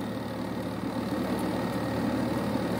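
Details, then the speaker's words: Carrier Infinity gas furnace after flood repair, replaced inducer motor, control board and gas valve, heat call: even motor hum swelling as it reaches speed, no rattle or scrape; normal inducer running before igniter and burners fire. "so you can see the inducer motor is on"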